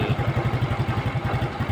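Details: Yamaha Fino scooter that died while riding and wouldn't restart, after refitting the carburetor that had come off (air filter bolt broken, zip-tied); small single-cylinder, even steady pulses about eight a second, no stumbling or dying; normal idle.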